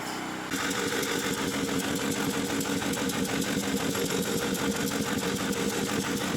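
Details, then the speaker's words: Champion 3500 W generator after carburettor cleaning, having sat all summer with old gas and run only on full choke; started without choke, constant governed speed, steady quick beat, no surging, sounds like a plane; normal running. "there it goes what the hell that sounds like a big ass plane though"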